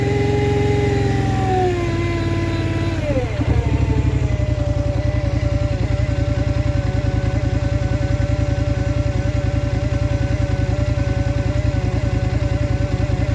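Revs drop to a lumpy, pulsing idle with an uneven beat around two per second; something is off, source not obvious.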